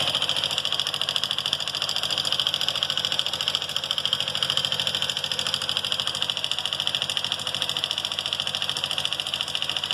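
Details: Honda Fan 150 motorcycle engine at idle: steady idle with a fast, even ticking of roughly three to four per second over it; engine noise present, cause not yet identified.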